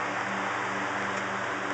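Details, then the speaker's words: Restored fan whose motor bearings are tight with no wear and shaft oiled, though the shaft has some end play, running on high: smooth steady hum with constant rush of air, no rattle or scrape; normal running on high speed. "But that's what high should sound like. Moves a lot of air."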